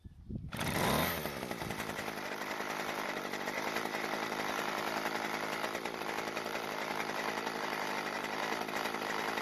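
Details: Weed Eater brand hedge trimmer (yard-sale, wouldn't start, leaking gas from brittle fuel lines), run with the old fuel line reattached: a sharp, even two-stroke buzz holding a steady high pitch. Runs perfectly with no carburetor work needed.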